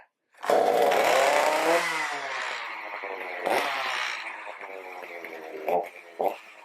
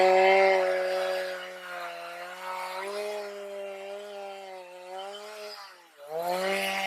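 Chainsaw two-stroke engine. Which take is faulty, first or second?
first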